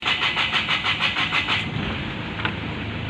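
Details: 2005 Kia Sorento D4CB diesel, hard starting with DTCs P1616, P1183, P1188, P1190, P0193: rapid cranking for over a second, then catches into a rough idle; only starts with throttle applied while cranking.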